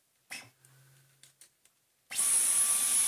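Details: Dyson V11 cordless vacuum, test with a good motor, fitted with the filter, bin and battery from the faulty unit: a few handling clicks, then it spins straight up to a steady high whine and even air rush, running normally.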